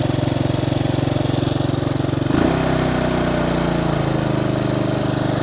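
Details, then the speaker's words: Bombardier Traxter 500 after carburetor cleaning and rebuild, warmed up with electric fan cycling, choke fully in, mic near the exhaust: steady, even single-cylinder putter at a possibly slightly high idle, no misses or knocks; runs cleanly. "the choke is all the way in running as it should if anything it may be idle in just a bit hi"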